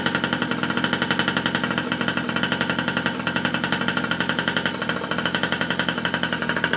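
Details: 47cc two-stroke mini pocket rocket bike, first start after reassembly with no gas leaks: high-pitched rapid buzz with regular crisp pulses, no misfires or rattles; running normally.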